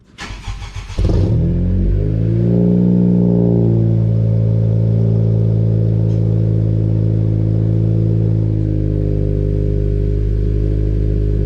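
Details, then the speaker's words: 2020 Honda Civic Si, first cold start of the day right after a PRL downpipe install, car lifted to check for leaks: starter crank, catch and flare, then a smooth, steady purring drone, not much louder; clean cold idle, no ticking or rasp. "It honestly doesn't sound that much louder, but the way it's purring right now, from like a cold start, I didn't use it all yesterday, but today I haven't turned it on."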